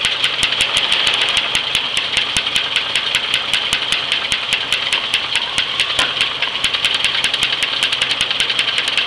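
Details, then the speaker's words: 1978 Chevy Nova 250 straight-six, restarted about two hours after last run, idling: sharp, steady knock of about four to five clicks a second; owner hopes it is top end. "My biggest concern is the knocking in the engine though."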